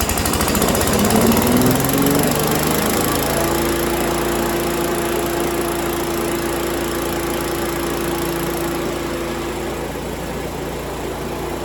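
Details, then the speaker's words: 5.5 hp Yardman leaf vacuum small engine after cleaning a plugged jet, first run in a couple of years, started and throttled up: quick rev settling into steady even buzz; runs normally. "I'm only doing this just cuz I want to brag and to see that it'll still start on the first pole throttle up contact"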